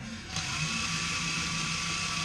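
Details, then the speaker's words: Allis Chalmers WC 3.3L four-cylinder head rebuild: valve spun by drill on lapping compound, direction reversed, possibly too fast; steady drill whir with gritty sandy hiss as it grinds into its seat, normal valve lapping. "You can hear it grinding itself in. Other way? Go the other way now."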